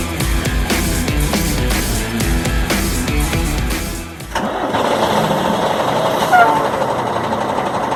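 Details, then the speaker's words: MAN 6x4 truck diesel with about 1,080,000 on the clock, in an MAN workshop: over background music it cranks, catches cleanly and settles into a steady, even idle; healthy engine, lovely sound. "Over 1 million mileage, 1,080,000, and it's still in like, man, lovely sound,"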